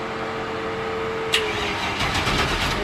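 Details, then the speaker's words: Tuff Truck project, powered by jumper cable clamped directly to battery-to-starter power wire with ground on door: even starter cranking about four pulses a second, spins freely without scraping but doesn't fire; a spark occurred at the makeshift connection; normal cranking. "It gave me some go-go juice, and it goes roundy round."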